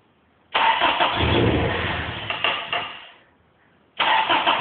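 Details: JDM Toyota 3S-GE, smoking: starter cranks about three seconds, never catches, then cranks again; cranks but won't fire, no start.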